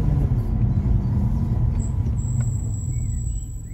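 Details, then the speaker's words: Car with new Ferodo DS2500 brake pads at normal, not heated brake temperature, braking very lightly while driving: thin, very high squeal over low road rumble; squeal provoked by light braking. "Provoziert, das passiert nämlich, wenn man ganz leicht bremst."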